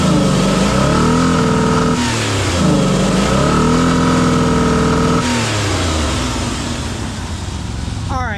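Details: Engine (2000 or 1995 Ford Explorer, just revived after an unplugged connector was found; oil pressure sending unit is bad) revs up and drops back cleanly several times, pitch rising and falling smoothly with throttle, no choking or hesitation; normal revving.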